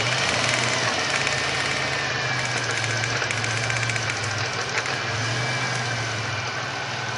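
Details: 1999 Grand Prix SC 3.8, whose misfire was traced to a bad ignition coil (#1-4): engine settles into a steady idle with an even low drone and no stumble or skip; normal idle.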